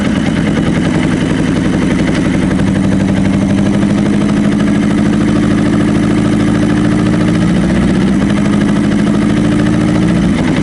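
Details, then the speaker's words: Honda CB600F, about 26,000 miles, misfiring on cylinder two, running only with the throttle mostly open, choke on and brake cleaner: a rough, lumpy drone with an uneven beat. "So, the only way I'm getting it to start and run here is with the throttle pretty much open, choke on, and brake cleaner."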